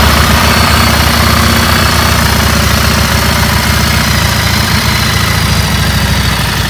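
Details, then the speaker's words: Single-cylinder bike after the spark plug was removed and refitted (the engine had been heating inside and not running right): steady idle with an even, quick thump and no misses or stumbles; running properly. "S ಗಾಡಿ ಸರಿಯಾಗಿದೆ ನೋಡ"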